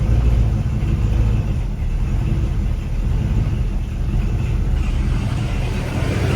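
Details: V8-swapped Mercedes 240D after fuel line and -8 AN fitting work: deep, even burble with steady low rumble, no knocks or misses, running healthy after start, though fuel leaks heavily from fitting.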